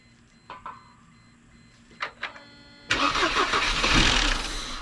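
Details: 1998 Mercedes W202 C230, sat in a field since 2018, only clicks until brake-parts-cleaner starting spray makes it catch and flare up; it won't run on its own fuel, so a fuel delivery fault.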